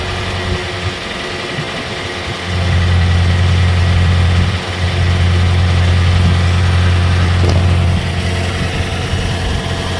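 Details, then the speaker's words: 2008-2013 Toyota Corolla at idle after fixing an underbody exhaust rattle that had occurred at startup and low speed: steady, deep, even hum with no rattle or buzzing from underneath, and no shaking. "yeah I think I think it's good it's not shaking"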